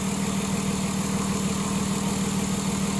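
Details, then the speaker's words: 2006 Ford Taurus 3.0L after misfire repair (codes P0305, P0316; cylinder 5 dead with an oil-covered spark plug, plug replaced), hot idle: even, smooth, steady idle with no stumbles; running cleanly on all cylinders. "okay look at that smooth as butter"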